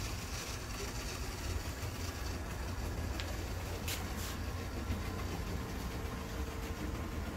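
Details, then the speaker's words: Bachmann HO scale PCC trolley rail buses after motor cleaning/repair: even low motor rumble with soft rail clatter and brief squeaks, smoother and quieter once up to speed; normal running. "but the one thing is is that they have once they get up to speed they sound smoother and quieter"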